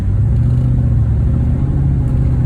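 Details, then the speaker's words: High-mileage 2009 Infiniti FX50 V8 idling at a stoplight: deep idle with a lumpy, uneven beat, as if a cylinder drops out, plus jumpy acceleration; owner suspects misfire from failing ignition coil packs, three of which failed the previous year. "It sounds very industrial, is what I would say. Back there, I was sitting at a stoplight, and suddenly, when I stopped, it just felt like the idle was very lumpy."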